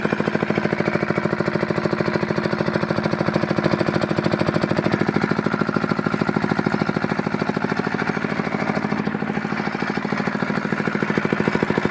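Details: Fitter diesel engine pump after removing air from the pump: steady, even thumping around 200 beats a minute, no misses or stumbles; single-cylinder diesel running smoothly.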